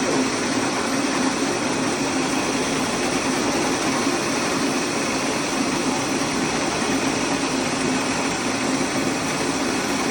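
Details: Small rice mill after replacing broken motor bearings and fitting a plate, test running with grain: smooth steady even rush with no knocking, squeal or grinding.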